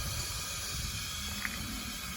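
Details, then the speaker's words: 2011 Mercedes S350 with Airmatic suspension, front passenger side collapsed while driving. When the car is lifted, a steady, loud hiss of escaping air with no knocking, continuous rushing. Air suspension leak. "Hear it leaking? See the air coming out? Wow."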